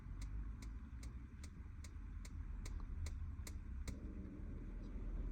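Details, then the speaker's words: 2002 IH motorhome fridge switched to gas, button held in: about ten sharp even igniter ticks, roughly two a second, over low rumble, then they stop, showing the flame is lit; normal. "the ignition stopped that's telling me the flame is lit"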